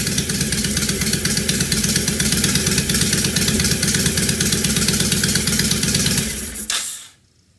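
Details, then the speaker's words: 2005 Honda VTX1300 V-twin after repair, air cleaner off, mic off the lapel: loud lumpy beat holding a steady idle before shutting off; runs significantly better, idles easily where it barely would before. "right so yeah that runs a significant amount better uh even without the air cleaner on uh we got her into an idol no problem she would barely do that before and just sounded good"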